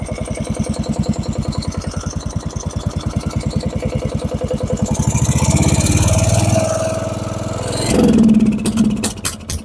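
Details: Lawn tractor with freshly rebuilt single-cylinder engine, new battery, starter and plugs, jump-started with a booster: steady chugging, then revs surge and sag; idle hunting, owner will tighten the accelerator rod, which keeps jumping.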